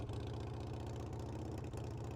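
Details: Harley-Davidson Sportster V-twin after roadside fix of a carburetor float needle stuck closed (no fuel), bowl removed and float reworked: restarts and idles with an even, steady low lumpy beat, no misses or knocks, warming up healthy.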